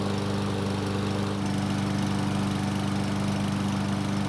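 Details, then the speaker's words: Yard Machines mower, given away as a non-starter, first start after cleaning and maintenance: it starts fine and holds a steady, even drone with none of the earlier surging. Normal running. "so it started up just fine and ran without the surging from before but the bigger question is how will it start when it's hot"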